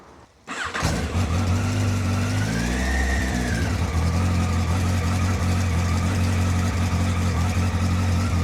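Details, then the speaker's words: Yamaha XJR1300 cold start after 3.5 months parked on a trickle charger, a little choke applied; starter whirs briefly, engine catches cleanly, short rev, then steady even idle on choke, owner calls it nicely ticking over; normal cold start. "Leave that there, I think. That's nicely ticking over, that. Bit dirty."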